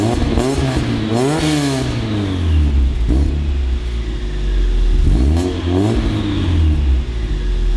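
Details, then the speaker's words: Engine revs rise and fall twice, with a tinny buzzing rattle joining each time throttle opens: the resonator on a cheap, modified eBay exhaust is shot, its baffle rattling. "Problem is that the resonator on this cheap eBay exhaust that we modified is just shot. So it rattles every time you get on throttle, and then it just sounds like a rattly little Honda."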